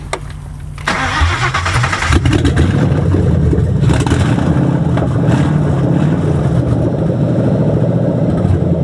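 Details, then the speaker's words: Crown Victoria with 2003 engine on stock 96 wire harness, improper O2 sensors, dumping fuel: catches after short crank into deep, fairly steady idle with slight unevenness; owner blames ECU map not dialed in. "this is not the proper map in here but it's a proper map for the ECU this map is good but it's not dialed in to the ECU that's why you hear it"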